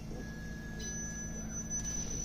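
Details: Used Toshiba 14,000 BTU inverter portable air conditioner with heat, opened up, powered on in startup mode: low steady hum with buzzy vibration; owner thinks a bent part at the back is vibrating.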